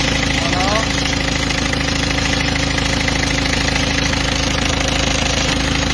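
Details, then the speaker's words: Peugeot 206 2.0 HDi 90 after the overtightened timing belt was corrected, covers still off: steady, even diesel idle with no whine from the belt area; normal idle. "voilà donc là on a plus de bruit tout est bon"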